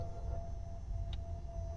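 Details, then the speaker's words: Tesla Model 3 Performance: steady low motor drone with a thin constant tone that stops cleanly in under two seconds, the normal sound of the steering column adjust motor. "so that's you know that's how it should sound one more time"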